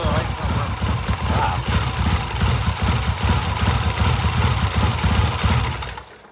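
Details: 1967 Triumph twin motorcycle (green and white) during ignition timing work with throttle revs: loud, lumpy low beat with uneven stumbling firing, then dies away; running rough, cause suspected not confirmed.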